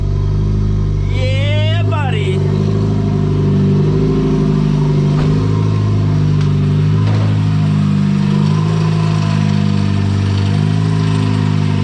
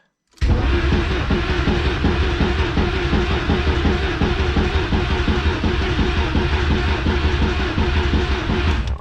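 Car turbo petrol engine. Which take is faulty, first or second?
second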